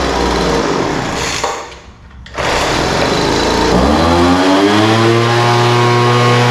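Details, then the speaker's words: Poulan Pro 200mph two-stroke blower after carburetor and fuel pump service, idle mixture leaned out from too rich and top end adjusted: dips, then picks up cleanly to a steady high buzz with no stumble or surging; running smooth. "yeah that sounds pretty good um carburetor needed just a little bit of adjustment the idle mixture was too rich so I leaned that out a little bit"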